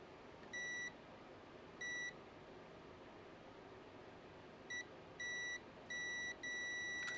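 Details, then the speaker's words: Nintendo DMG/DS handheld under repair with speaker connected: clear high-pitched beeps, single and in short irregular bursts, plus ticking and crackling over room hiss; speaker producing sound again where before silent. "Yeah, that's it. I just heard a beep."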